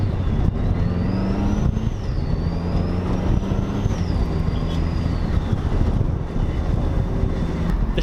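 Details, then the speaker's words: Mazda Miata with EFR turbo (about 130 wheel hp) and new twin-disk clutch, first drive after rebuild, light throttle at low rpm: low engine drone with a clear turbo whistle rising through each gear and dropping at shifts; normal turbo spool. "can you hear the efr can you hear the turbo spooling"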